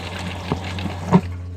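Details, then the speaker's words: RV toilet (Thetford Aqua-Magic) after replacing the freeze-damaged water valve module: pedal pressed for flush test, pedal clicks and a low soft rush of water under steady hum; normal water flow through the new valve. "Okay, I'm going to step it down and test it. Look at that, water flows like it should."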